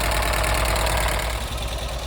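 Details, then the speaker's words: 1983 VW T3 Vanagon first start after broken head-stud removal and head seal replacement: fast even clicky top-end clatter over low idle; owner suspects hydraulic tappets still building oil pressure, not confirmed. "what is that that doesn't sound good but the engine note changed I mean it was quite clicky clicky clacky cuz usually it takes a while for the um for the taets to build pressure it's same as in my V8 they hydraulic ta"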